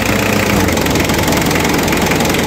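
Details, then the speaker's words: Car AC blowing warm: steady engine idle; with AC switched on revs rise slightly but no clutch click, compressor magnetic clutch not engaging. "So, wala tayong narinig. Ibig sabihin, tumaas lang yung RPM niya, pero hindi siya nag-click o hindi gumana yung magnetic flux."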